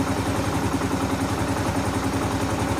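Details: 2015 Kawasaki KLR 650 single, warm, idle set after choke adjustment that fixed hard starting (choke wasn't opening fully); steady, even low thumping idle with no misses, stumbles or rattles.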